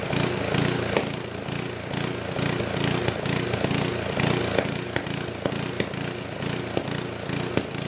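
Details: Old 10 hp gasoline generator converted to propane with an aftermarket LP regulator runs with an uneven galloping beat near three per second and occasional backfire pops; owner suspects it is not getting enough fuel.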